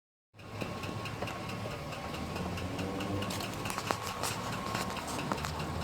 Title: Engine knock #3 05 GMC Sierra